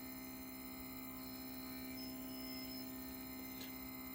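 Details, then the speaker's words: Sesto Senso 2 motorized focuser on a Williams Optics 132 FLT, driving back to zero: thin steady whine with faint fast ticking, louder than normal; abnormal motor noise persists despite reinstalling four times. "But this noise has been really annoying, and I've installed this focus."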